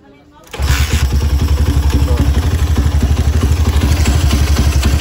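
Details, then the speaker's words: Honda CB single-cylinder motorcycle just restarted after an engine teardown with a scored cylinder, re-honed cylinder and a new cam-chain tensioner bearing, PWK carburetor: starter catches at once into a smooth, even idle, no ticking or knocking; engine sounds healthy. "Halus lagi. bunyi dari skep PWK nya ini. Tapi mesinnya udah halus ya, mesinnya udah halus, udah aman."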